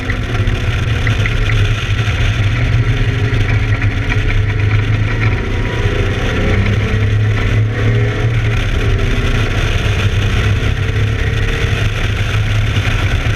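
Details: ABR Camaro on track, misfiring, cause not yet known: engine pulling hard at steady high revs with a rough, uneven edge under load.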